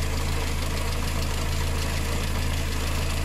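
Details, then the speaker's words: VW engine with timing chain, idling: a light, fast tick about three per second on top. Hydraulic lifters tick on water-mixed oil, an early-stage problem with slight overheating; the chain is quiet. "diese ist immer wieder her an den tickern wenn wasser durch die hydro stöße fließt also mit wasser vermengte öl marca das nicht die steuerkette ist ruhig"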